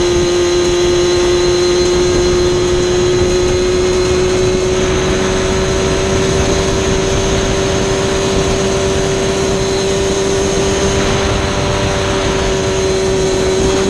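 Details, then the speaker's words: Warmed-up Yamaha Banshee two-stroke held at part throttle during midrange plug chop: steady drone with uneven flutter that won't clean up unless throttle opened more; tuner suspects rich needle setting. "Right at that throttle range, it's got a really nasty flutter to it. Like, to me, it sounds rich, so we're going to see."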